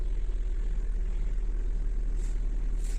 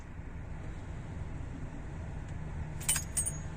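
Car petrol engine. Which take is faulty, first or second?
second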